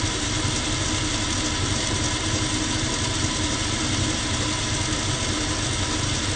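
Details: Lathe spinning a 5/8 brass hex bar 500 mm long, slightly bent, at constant speed: loud humming drone with rough shaking buzz as the whipping bar vibrates the lathe; spindle bung suggested as fix.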